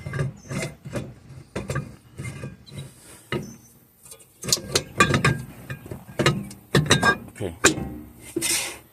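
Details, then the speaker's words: Drum brake being adjusted (six turns of the adjuster): rasping scrape in repeated bursts as the drum is turned by hand, shoes lightly rubbing the drum, but still too loose. "So, now you hear that rubbing, that scraping sound, but it's still too loose."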